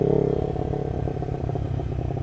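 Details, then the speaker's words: Lexmoto LXR380 with full Lextek performance exhaust and new ECU map, riding at very slight throttle: uneven quick irregular chuffing pattern without dropping out, not a misfire; suspected low-speed fuelling map issue. "if we ride with the throttle just slightly open and I mean just slightly open it gets into this sort of pattern and it almost sounds like you can hear the individual injectors or some it's very strange"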